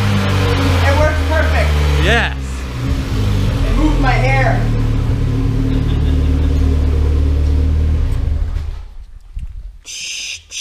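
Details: Revs rise and fall, then a sharp airy whoosh on lift-off as the blow-off valve vents; sounds like normal operation.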